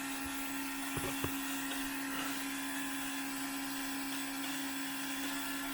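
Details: Fuel pump priming a 2002 6.0L drive-by-cable LS V8 during leak check: quiet steady low hum without surging or rattle, light handling clicks; suspected leak was fogging-oil overspray, normal.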